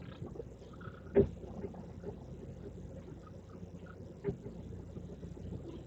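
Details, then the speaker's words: VW Polo, steering turned at a standstill with the microphone on the dashboard: two sharp creaks as the spring slips up top, from worn strut top mount (coxim) bearings; both front struts to be dismantled. "foi o barulho que eu mosquito início do vídeo é aquilo ali é a falta de ação dos Rolamentos rolamento do coxim então a mola fica escapando certo mola fica escapando lá em cima e ele faz aquele barulho lá ó"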